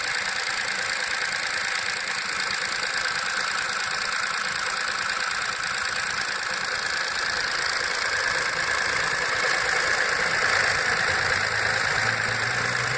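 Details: VW Up! MPI with 5,000 km, cold start after repairing an oil leak on the intake camshaft phase variator: fast, fairly regular ticking chatter over a steady idle hum; cause not pinned down.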